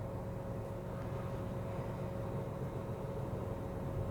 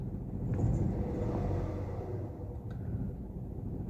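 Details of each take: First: 1KR engine idling after repair of a misfire with code P0353 and the engine warning light; a quiet, steady idle with an even hum and a faint constant tone, no miss. Healthy. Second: Toyota 1KR petrol engine idling roughly with an uneven, lumpy stumble and engine warning light: one-cylinder misfire, with code P0353 for an ignition coil circuit fault.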